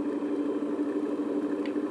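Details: Bandsaw replacement electric motor, nine-wire, wired for low voltage, rated 1725 rpm, bench test on first power-up: smooth constant hum, one steady tone, no rattle or surging; normal running.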